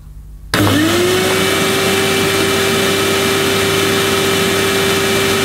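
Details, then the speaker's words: Hoover Futura S3563 canister vacuum, used from USA, run without bag: motor spins up quickly to steady even whine with constant airflow, no rattles or surging, though debris spewed out; normal running. "I think that sounds ok not that I know what they sound like"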